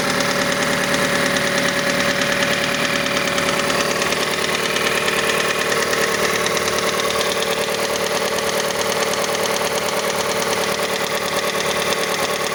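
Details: Mazda CX-5 engine at cold idle: a steady light ticking knock, about three per second, present until 70 degrees; engine knock when cold, cause unknown, variable valve timing mechanism suspected.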